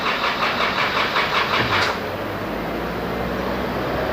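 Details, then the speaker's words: Isuzu D-Max diesel with 80,000 km, first start after an engine rebuild: lazy, uneven cranking under three compressions a second that fades after two seconds; battery too weak, so a second battery is jump-connected. "ขอฟังเสียงแล้วแบบน่าจะเริ่มอ่อนนะครับแบบไม่น่าพอเดี๋ยวเราให้ทีมงานหาแบตเตอรี่เราพวกนะครับ"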